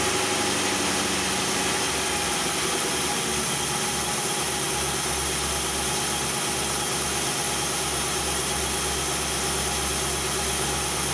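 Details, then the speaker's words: 2001 Ford Crown Victoria after replacing broken timing chain guides: smooth, even idle with steady low hum and no rattle or slap from the front of the engine; sounds healthy. "This is the update on the timing chain repair. I'm gonna go ahead and start it up so you can hear it."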